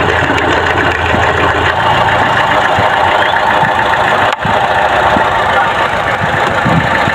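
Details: Chevrolet Trax with code P0300: petrol engine idles with an uneven, stumbling note and irregular low thumps, an engine misfire.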